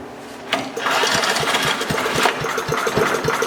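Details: Craftsman 5 hp wood chipper revived after sitting three years jammed: catches after a brief crank and settles into an uneven but continuous small-engine putter, quite smoky; the engine runs.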